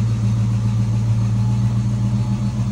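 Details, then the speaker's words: 1964 Ford Fairlane V8 barn find, 30,000 original miles, sat about 13 years, after regapping too-wide breaker points: deep, steady idle burble, every cylinder firing evenly with no stumble or skip; runs smoothly. "points were too wide. That's what was causing it. Sounds like it's hitting now."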